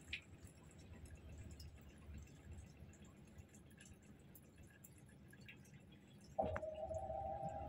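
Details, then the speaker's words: TCL washing machine on its dry spin cycle, with about 6 minutes of spin left: soft sloshing and drips, then a steady motor whine rises as the drum spins up, with no knocking or rattling; not noisy or shaky, a normal spin. "Yung nagsasabing maingay at magalaw, hindi naman siya guys. Ganyan lang yung ingay niya."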